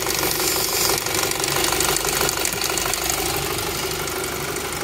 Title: Audi A3 P2279 intake air leaks brake booster hose leak. vacuum leak. rough idle. Check engine light